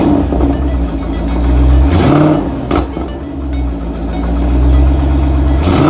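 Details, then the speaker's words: 2008 Ford Mustang GT Bullitt, started after nearly 3 weeks sitting and a battery charge: it catches and settles into a smooth even rumble with a couple of clean rev blips; it now starts and runs fine. "okay guys I'm super happy the car started right up so I'm gonna start using this car pretty soon"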